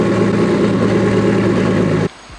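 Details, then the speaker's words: Nissan S15 after the fix: fires right up with no hesitation, even steady idle for two seconds before shutting off, no stumble or misfire; smoke much reduced, some exhaust leaks under the car still heard. "well yeah guys there she is fires right up no hesitation turns on like OEM"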